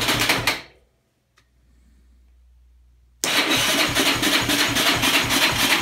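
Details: 2003 Yamaha Raptor 660 single cranks at about four chuffs a second, stops, cranks again, never catches; crank no start despite new gas, cleaned carb and tank, valve adjustment, new plug boot and coil, good stator, spark present, fuel spitting strongly from plug hole.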